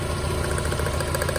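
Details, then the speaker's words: Mazda Miata running on three cylinders at idle: a lumpy, uneven stumble and visible shaking. Cylinder 3 gives spark but is dead on a plug-pull test; a fuel injector that isn't firing (or a stuck valve) is suspected. "It is running on 3 cylinders, and it's not good to, because your engine isn't in balance."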